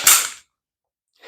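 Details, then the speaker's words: SIG Sauer P320 pistol function check after cleaning and reassembly: the trigger is pulled for one sharp, crisp click, then a softer mechanical sound as the trigger resets cleanly. "okay so first thing we're going to pull the trigger listen for a click reset the"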